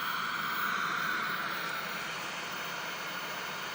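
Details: Vintage Sony KV-1310ES tube television, rusty, first power-up via homemade Variac without reforming filter caps: steady hiss with faint even high whine; powers up normally and shows a picture.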